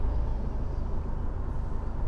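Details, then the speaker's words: Fiat 124 Spider 1.4L MultiAir turbo at idle: low, lumpy rumble with uneven beat and dips, misfiring on cylinder 4 only, extremely rough with car shake; misfire absent at wide open throttle while driving; owner suspects camshaft issue. "It is misfiring right now. Cylinder 4 only. And it's extremely rough."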